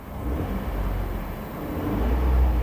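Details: Stolen 2012 Ford F-150 3.5L EcoBoost twin turbo FX4, about 160,000 miles, freshly fueled and parked: deep, even engine note swells smoothly on throttle blips with no knocks or misses; healthy rev.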